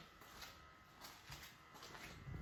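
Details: 2020 Lexus NX300 parked after about 5 hours: a faint electric buzz with soft pulses about every half second. This is the normal evaporative emissions canister purge after shutdown.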